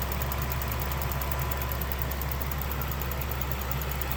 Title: 2016 Ram 1500 engine ticking/clicking noise